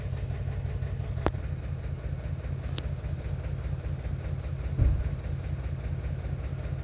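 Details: 2021 Toyota Camry at idle: uneven lumpy beat with stumble every second or two, engine misfire traced to ECM internal fault in ignition coil control circuit.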